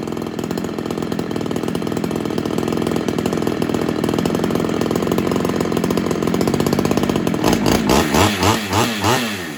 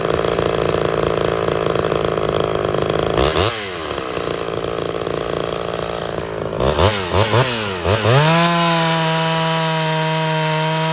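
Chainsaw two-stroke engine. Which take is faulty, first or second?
first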